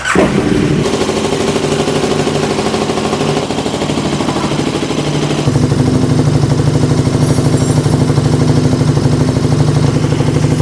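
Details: KTM Super Duke 1290 R at idle, heard close up through a mechanic's stethoscope during a used-bike inspection: even, regular thumping at about three beats a second with no knocks or rattles, a healthy engine.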